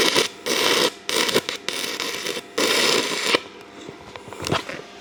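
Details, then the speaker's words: Arccaptain TIG 205 Pro stick welding 6010 rod at 90 amps: harsh crackling arc bursts about half a second, repeated drop-outs to near silence; welder can't hold a 6010 arc, though it runs 6011. "So you guys can hear it. It'll run for a second and then it kind of cuts out and run for a second, cuts out."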